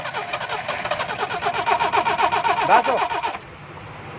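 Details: Car after engine pressure wash, water found in engine components: starter churns at an even rapid beat for about three seconds, never catches; cranks but won't start.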